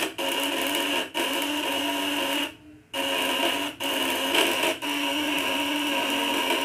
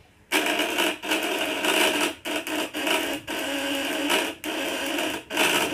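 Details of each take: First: Contact-breaker (platina) coil device with double setting, tightened upper and lower adjustment: harsh steady high buzz that briefly drops out several times; running at 100% full output, normal. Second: Coil device with contact breaker (platina) set at 500: harsh electrical buzz with bright rasp, sputtering and dropping out in short breaks; dirt on the points, which need regular smoothing.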